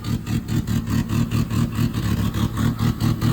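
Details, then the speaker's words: 1977 Chevy LUV pickup, first real start after 18 years in a salvage yard, slightly flooded, idle being adjusted: lumpy loping idle with two to three stumbles a second, clearing up somewhat; misfire at idle, one cylinder missing. "definitely got a Miss somewhere definitely got a Miss somewhere clearing up"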